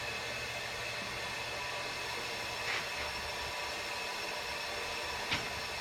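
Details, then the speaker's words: Bought, smashed-up diesel truck during a boost leak check with a regulator on the intake: steady loud hiss of air rushing out, never builds pressure, because the bent intercooler has a big hole; boost leak through holed intercooler. "yeah you can hear it i was hoping that i'd be able to uh be able to pressurize it up a little bit the intercooler's got such a big hole and it won't even pressurize up"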